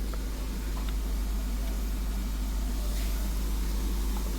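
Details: 2014 Honda Vezel idling: rough, uneven stumble about three times a second, with the check light blinking. Codes show cylinders 1–4 and random misfire (P0303); coils and plugs were already checked, and injectors are suspected but not confirmed.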